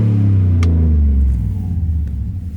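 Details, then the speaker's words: 2002 Chevy 2500 LT 2WD pickup, 169,842 miles, no warning lights, revved: deep even rumble swells and settles smoothly, no knocks or rattles; healthy V8 note. "that sounds tough dude that thing sounds tough kind of hear it down here by the exhaust smooth little"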